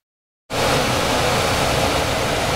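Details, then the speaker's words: 26-year-old Trane furnace after a new half-horsepower blower motor and capacitor were fitted and the unit was cleaned: a steady, even rush of air with no whirring, buzzing or humming. "it's just put back together with a new capacitor a new motor and a very quiet running motor fix for $100"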